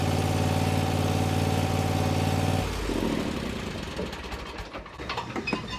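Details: Bad Boy zero-turn mower, fire-damaged engine repaired, drive pull fixed and new blades fitted: steady, even engine note with a smooth low hum, no knocks or misses, then fades away; runs clean.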